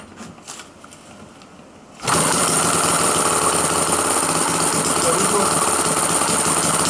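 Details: Homemade 1987 single-cylinder two-stroke opposed-piston model engine, 25 mm bore, 29 mm stroke, water-cooled, variable compression, warm restart outdoors: quiet about two seconds, then catches into a loud, even, high buzzing run with no misses; healthy.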